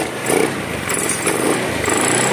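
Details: 2016 Honda Scoopy scooter, brought in stalling with error code 52 (not the CKP sensor), after a dead battery was dealt with: kick-started, the small engine buzzes along evenly with no stumbling or rattles, starting and running normally.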